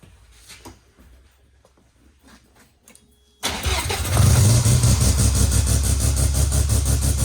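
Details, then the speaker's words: Naturally aspirated rotary (Wankel) engine in a small car: quiet, then it catches instantly and settles into a busy, even burble with smooth rising revs, a normal start and rev. "Wow. And it starts so well. Nice, eh? Beautiful."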